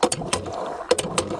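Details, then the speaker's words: Hand well pump primed and flushed for the first time: steady clacking strokes with a firm, even rhythm, no sucking or slipping, holding good compression as orange rusty water comes out. Normal pumping. "out there we go we got good compress any the orange well there comes the orange water"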